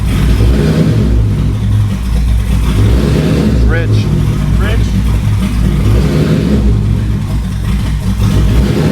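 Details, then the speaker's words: Dodge Magnum with a rebuilt Hellcat engine, idling: heavy, lumpy idle slowly rising and falling in a rolling surge. Engine is running rich; a big vacuum leak is suspected, not confirmed. Rough, hunting idle. "It's got a big vacuum leak. He says it's running rich. Yeah, that why it's it's doing that running roll?"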